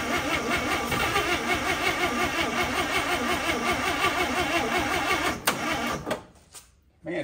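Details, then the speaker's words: 1955 Chevy on a jump box owner suspects is going flat: sluggish cranking under three turns a second stays slow, then drops out; starter lacks power, cause suspected not confirmed. "weak still give her a little throttle here man oh there we go"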